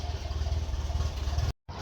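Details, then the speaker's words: 1951 Ferguson tractor after thermostat housing replacement, at idle: steady low thump with an even pulse and no misses, then a brief cut; running smoothly, no leaks. "Yeah, that is a really well running tractor. Really happy with that. That's nice. I like that a lot."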